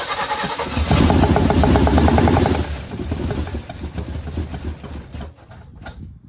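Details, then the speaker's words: 1979 Malibu first start after cam and heads swap, distributor just turned the other way, some gas: ragged stumbling firing that fades out, fuel pushed back through the carburetor; not firing correctly. "Yeah, because it's still not right. As soon as you see it pushing gas through the carburetor, you know that it's not firing correctly."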